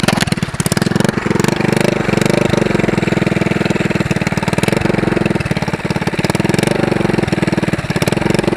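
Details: Go-kart small single before homemade brake-cleaner-can muffler: sharp crackling pops with harsh raspy bark each firing from straight pipe; loud exhaust from missing muffler.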